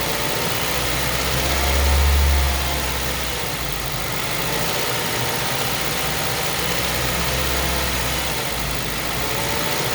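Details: 2005 Mazda 3 petrol engine at idle with mild rod knock after running 1-2 quarts low on oil, no check engine light; faint deep knock under the rumble, metal shavings found in oil at last change.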